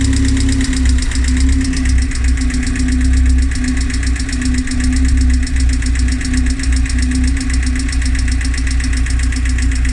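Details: Rover K-series engine idling evenly with a light quick ticking over the hum, constant at idle; cause not identified.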